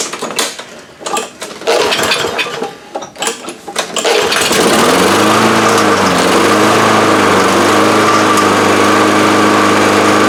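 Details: Free roadside Lawn Boy push mower: after some rattling and pulls it catches and settles into a steady, even buzz with only slight speed wander; mower runs.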